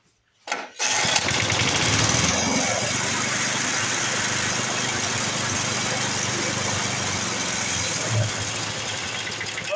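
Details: 1982 Snapper Hi-Vac mower, sat abandoned for years, after adjusting the rear fuel mixture and refitting the air filter: the small single-cylinder engine fires on the first pull and settles into a steady, even run; normal start and run.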